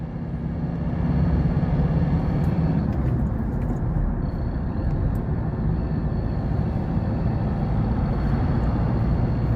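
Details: Ford 2.2 diesel on a road test after injector repair: even drone rising smoothly under light throttle over road noise, no flutter, rattle or knock. Normal acceleration.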